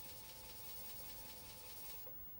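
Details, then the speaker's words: Commodore 1541-II disk drive on a Commodore 64 while trying to load: faint rapid buzzing with a thin steady whine for two seconds, then quiet; abnormal seek noise, owner unsure whether drive or disk, suspects a C64 CIA chip. "this sound is also not good so I guess this is not going to work also there's now like a point where it should stop I think like lock"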